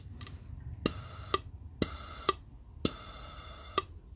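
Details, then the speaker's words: Subaru EJ25 boost control solenoid bench test, power connected and disconnected: crisp clicks in on-off pairs about once a second with short puffs of air from the blown line; valve opens and closes cleanly, in working condition. "if you listen closely you can hear a click that's another indication that the solo line is working well so now it's opened so now it's in the open position"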